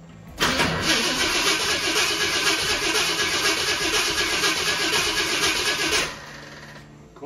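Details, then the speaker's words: 1966 Ford Thunderbird after sitting years, engine reassembled, no gas yet poured down the carburetor: starter spins the engine about four times a second for five seconds with no firing; cranking no start, no fuel in carburetor. "gas is well I haven't poured any down a carburetor yet let me just turn it over a little bit"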